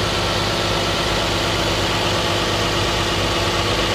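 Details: 2010 Nissan Maxima cold start: steady, even idle with a smooth low rumble and no knocking or ticking. Owner's complaint is a loud puttering from underneath after about 15 minutes of warm driving, noticed after an oil change; suspects TSB NTB12-071 main bearing knock. Normal cold-start idle.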